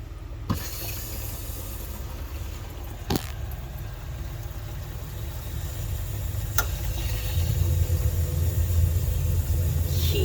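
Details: RV tankless propane water heater that replaced the old propane tank-type unit, after fixing a leak at the swivel: low steady roar of water flow and burner building over ten seconds, no popping or sputter. Firing normally, water comes out hot.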